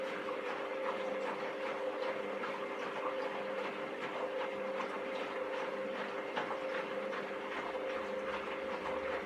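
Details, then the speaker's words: Candy GVS169D3/1-80 Grand O Vita 9kg washing machine after replacing the failed triac (motor controller) on the control board to fix error E09. Steady, quiet drum hum with soft sloshing and no grinding or knocking. Normal wash agitation, about 12 minutes left. "so renowned to 12 minutes now it seems to be working just fine"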